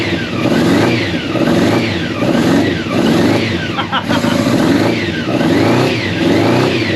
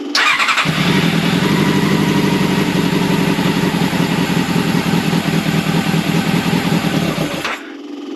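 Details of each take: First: Old Honda CBR600 track bike, long unused, first start with fuel pump running and choke just off: repeated blips about once a second picking up freely with slight hesitation, a bit boggy while cold; runs and revs. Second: Old Honda CBR600 carbureted track bike: it catches on choke and runs at a lumpy, uneven idle, then dies as soon as the throttle is touched; the carb idle circuits are suspected gummed up and the carbs need cleaning.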